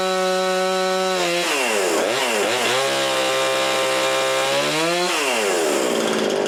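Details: Husqvarna 350 18" chainsaw after rebuild with new cylinder, piston, ring and gaskets, muffler gasket left off (possible exhaust leak): crisp revs climbing, dipping under cutting load and recovering cleanly, no misfire or bogging; normal running.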